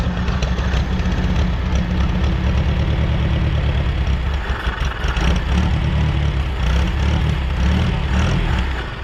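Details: 1960–63 International Cub Lo-Boy tractor sitting 10+ years: low engine chugs unevenly for several seconds then fades, running only on starting fluid; compression good, plugs and old fuel in tank to be replaced.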